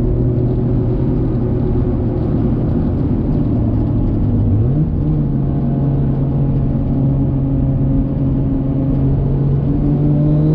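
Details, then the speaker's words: Nissan Skyline R33 with built 550hp RB25DET, after lifter repair fixed a ticking noise: steady drone cruising under light load, revs step up smoothly, no top-end ticking; sounds healthy. "now i've got a functional rb 25 right now the lifters have not been ticking"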